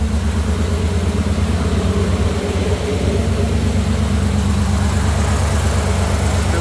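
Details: Jeep CJ5 freshly built engine with Holley EFI, first start, warm idle at 193°F coolant: steady, even, smooth low beat, no knocks, misses or squeals; fan one on, fan two not yet, timing, voltage and temperature good, about 45 psi oil pressure.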